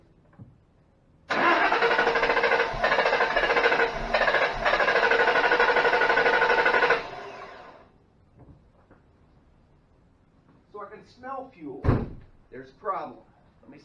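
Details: 2005 Ford Mustang GT that died at work, fuel rail pressure about 44 psi so pump judged fine, mass airflow sensor under suspicion: about six seconds of steady, even cranking with no firing; crank no start.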